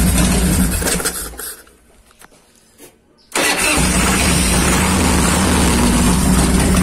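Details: 1990 Harley-Davidson Fatboy Evo after carburetor cleaning (fuel not passing the jet, wouldn't start) and refitting: big twin cranks, catches and settles into steady, even lumpy idle with no misses; normal start and idle.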